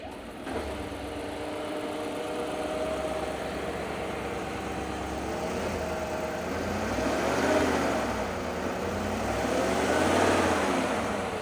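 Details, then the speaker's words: Cadillac Escalade GM V8 with AFM, after lifters replaced with Elgin lifters (ACDelco ones had failed): low smooth even idle with no valvetrain ticking, almost electric-motor quiet; healthy engine. ">> Quiet as a mouse, isn't it? In fact, it's so quiet it almost sounds like an electric motor."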